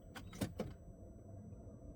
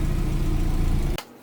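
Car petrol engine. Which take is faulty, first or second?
first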